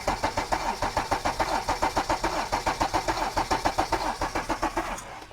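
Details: Mercedes CLS 320 CDI 3.0L V6 diesel idling with an uneven, stumbling beat, audibly missing a beat as it is checked with a scope.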